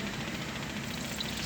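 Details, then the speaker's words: Suzuki Bolan (Carry) aftermarket electronic fuel pump bench-tested with red wire to positive and negative touched: steady, fast hissing buzz with even pulse, no stutter or dropouts; pump working with strong pressure. "ये देखें, ये fuel pump काम करना शुरू कर दिया इसने। इसका प्रेशर चेक करें, बहुत तेज़ प्रेशर है"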